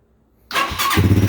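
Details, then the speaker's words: After exhaust leak repair with new crush washer: engine starts and settles into steady, even idle, slightly high, with no ticking or puffing at the exhaust. "Idle's a little high, but I ain't talking about that."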